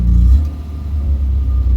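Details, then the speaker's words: Barn-find Vauxhall Viva with Stromberg 150 carburetor after fitting a brand-new diaphragm, test drive: engine pulls, then sags and bogs before picking up; fuelling flat spot on acceleration persists, cause unresolved. "But I did have another brand new one lying about, so I decided to fit this and give the car another blast. You can tell the flat spot's still there."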